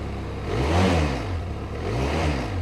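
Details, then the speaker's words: Benelli TRK 502 motorcycle at 12,000 km, revved in neutral: the engine swells twice with droning resonance, assorted vibrations and rattle. These are disturbing noises of unknown source. "nie wiem czy słyszycie tutaj są w różnego rodzaju wibracje natomiast nie słychać jest taki specyficzny Świst"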